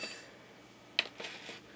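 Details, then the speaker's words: Epson PowerLite 93+ projector (about 2011–2012, fitted with a new bulb) shutting down normally: sharp click of the iris closing, then two faint high beeps in a quiet room. "you hear the iris closing two beeps and yeah"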